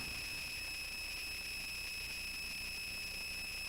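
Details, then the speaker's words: Touchboard sound board plugged in: steady piercing high whistle that never changes pitch or level, with faint hiss beneath; constant high-pitched whine on the audio output, cause unknown. "I'm not quite sure why the noise."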